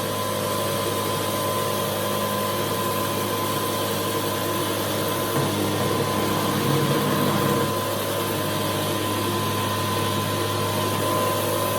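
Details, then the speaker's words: High-pressure airgun compressor (rated to 4,500 psi) pumping near 4,000 psi: steady, even motor drone and constant pump hum, no knocks or surging; must be stopped or it will keep pumping and damage itself; normal running. "This particular unit will go up to 4,500 psi. Because it will keep pumping and you will damage this compressor."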